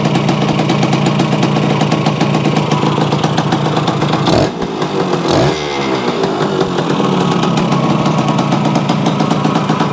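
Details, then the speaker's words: Yamaha AT-1 to CT-1 conversion two-stroke at first startup after carburetor fix and oil pump priming, choke on, premix plus oil pump: crisp, fast even popping, brief throttle blip midway, then settles back to steady idle; normal idle. "Sounds pretty good. Okay guys, there you have it. The AT-1 to CT-1 runs. Sounds pretty reasonable."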